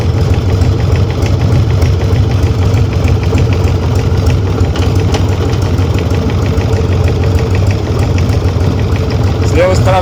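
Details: Harley-Davidson Sportster with a knock from the front cylinder since the end of last season; an oil change did not help. Recorded with the bike raised and run up to about 40 mph. A faint regular tapping over the exhaust beat; cause suspected, not confirmed.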